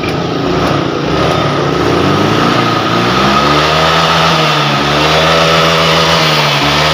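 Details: Honda Vario 125 FI after fixing severe misfiring (brebet) and a lit MIL: a steady, buzzy idle that swells slightly and settles, firing smoothly with no stumble; repair successful.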